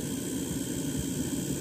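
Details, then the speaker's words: 1997 GPX TVP9 black-and-white TV/AM/FM/cassette recording its own TV audio: low rough buzz under steady hiss as the vertical oscillator bleeds into the cassette recording. "okay tv recording is picking up the vertical oscillator you can hear it buzzing"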